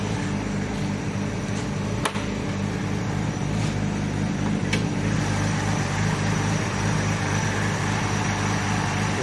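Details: 1989 Nissan Skyline GT-R R32 with RB26 engine, just started after refurbishment (rear diff bearings replaced, fuel overflow leak fixed): steady, even low rumble with no knocks or misses; soft, healthy idle.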